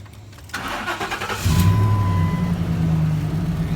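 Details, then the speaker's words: 2004 Ford F-150 after replacing a failed aftermarket fuel pump driver module with an OE Ford part for a no-start with no fuel pressure: short starter whirr, catches cleanly, settles into smooth even idle before key-on engine-running self-test; normal start and idle. "starts up good and we'll go ahead and do a key on engine running self-test"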